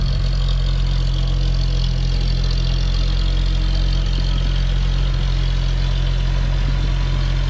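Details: CCKW truck engine just started on choke: steady, even low idle with no misses, knocks or surges; no exhaust leak heard, sounds healthy.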